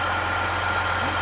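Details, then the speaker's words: Chevrolet Silverado 3.0L Duramax diesel idling just after coolant control valve replacement and valve learn: steady even idle, smooth low rumble, faint constant whine, no knocks or misses, coolant flowing; normal idle. "Well, it runs. Sounds like a motor."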